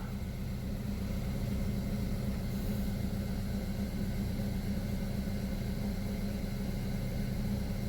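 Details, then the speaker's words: 2012 Buick Verano 2.4L idling after new intake and exhaust camshaft actuator solenoids fixed P0013/P0119; steady, even low hum with no ticking or stumble; runs smooth. "but as far as my car sounds, it sounds like it's running smooth, which is typical of the camshaft solenoid. It'll run a little rough if those need replaced, but mine sounds good."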